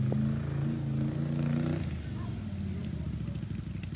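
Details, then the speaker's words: Once-flooded 2020 Can-Am XMR 850 after fluids flushed, ridden in rain at dusk: engine putters steadily at low speed with even pulses, then fades as it pulls away; sounds healthier, normal running. "oh yeah that thing sounds so much more healthier and it performs so much better"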